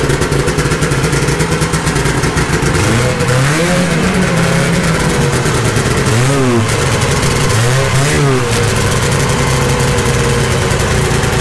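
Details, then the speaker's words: 1972 Ski-Doo Nordic 440 two-stroke snowmobile after a full engine rebuild, new plugs and carb adjustments, on a test drive: revs surge and sag instead of holding clean, starving for fuel from a partly blocked fuel pump pulse passage. "okay everybody it's actually a few days later the test drive didn't go too well like it was starving for fuel"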